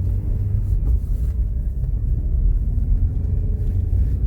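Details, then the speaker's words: Renault Duster driving with a cool cabin, heater on setting one, after fixing a dashboard creak with a rubber strip: only a steady low road rumble, no creak or crackle from the previously creaking spot; dashboard quiet. "поднесу ближе нету шумов вот просто нету шумов совершенно это я стучу телефоном то есть тишина полнейшая"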